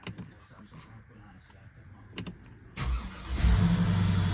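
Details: Mercedes-Benz GL 450 (2007–2015 generation), 166,000 miles, after replacing the crankshaft and camshaft position sensors. After a short crank the engine catches promptly and settles into a steady, even idle: a clean, normal start.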